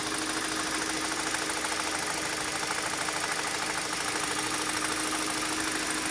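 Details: 2013 Kia Optima K5, 2.0 L Nu CVVL engine: light, fairly regular tapping over steady idle, two or three taps a second, top-end tick of unknown cause; goes away when accelerator is pressed.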